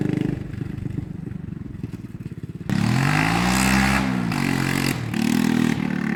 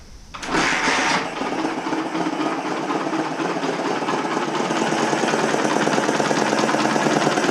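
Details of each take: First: 1980 Honda XL250S single on a test ride after fixing bad-fuel stalling, no-idle and no-start and cleaning the carb; thumps at idle, then pulls cleanly through the revs with no misfire or stumble. Normal. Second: 1980 Honda XL250S single running with no air filter after a mouse nest was cleared from the airbox. Fast, uneven idle with a sharp hissy puffing over each firing. Owner suspects an exhaust or intake leak, or a clogged muffler pushing exhaust back through the intake.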